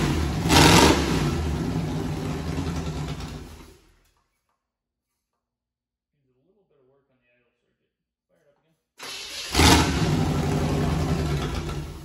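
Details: V8 turbo burnout-car build, first start before turbo fitted, no alternator belt: blips sharply and falls back to a smooth even rumble, then revs cleanly again; runs healthy.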